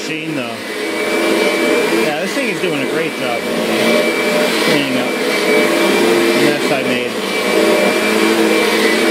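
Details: Kirby Sentria vacuum after impeller replacement, loose carpet having stalled the brush roller: strong steady high-pitched roar wavering slightly as the head moves over carpet, no rattle or scraping, healthy.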